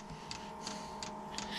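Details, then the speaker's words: Off-grid diesel cabin heater after cleaning, new glow plugs and a new fuel pump: crisp ticks about three per second over steady fan hum. The dosing pump is clicking normally while priming fuel through the new fuel line; glow plug light still on. "It's uh still priming, so it's trying to suck the fuel through the new fuel line."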